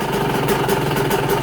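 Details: Cold Yamaha YZ125 two-stroke on 25:1 premix, idle set very low (idles reliably once warm at track); low steady putter holds evenly at very slow idle without stalling, a healthy cold idle.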